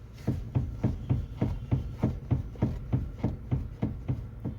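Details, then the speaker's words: 2006 Honda City ZX with the car off, body rocked and brake applied: sharp, regular clunks about three per second. The car is unstable on the highway after alignment; the steering rack or bushes are suspected but not confirmed. Suspension clunk. "और जब break अगर मैं ऐसा करता हूँ, तो बहुत तेज आवाज आ रही है। मुझे पता है, नॉक नॉक।"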